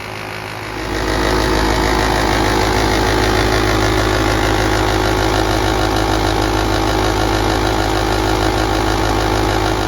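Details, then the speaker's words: 2014 VW Beetle Turbo GSR at idle, engine at normal operating temperature: steady hum with a rough, throbbing out-of-balance beat from the dual radiator cooling fan assembly; a cracked fan blade causes vibration, fixed by replacing the assembly. "Ever have a vibration issue with your fans on your VW Beetle? Well, Meldrum's Monster Garage is going to fix this."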